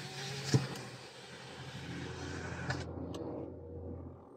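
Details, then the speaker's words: 2019 Toyota Vios, recorded inside cabin with windows closed: engine running with heavy low hum and drone that swells with throttle, strong vibration felt at steering wheel; excess vibration entering cabin, engine support suspected, not confirmed. "Yan, yung vibration na yan. Mapapansin nyo dito sa manibela, malakas yung vibrate nya. Tapos pagka naggagas, sumasabay yung ingay ng makina."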